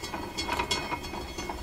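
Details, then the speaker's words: Electrohome Chippendale console, Webster record player at 45 rpm: the intermediate idler wheel with a new glued-on rubber surface makes loud, uneven, train-like clacking a few beats per second; the surface joint or a hard glue spot is suspected. "You think a train is coming down the tracks or something. Don't cross. Isn't that horrible?"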